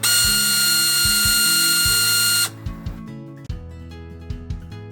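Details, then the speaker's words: Canon 6D Mark II at power-on: shrill steady electric buzz from the shutter drive, sometimes even when switched off with battery in; drive disassembled, cause worn gears, apparently from heavy load. "причина заключается в приводе затвора и нам нужно до него [музыка] добраться"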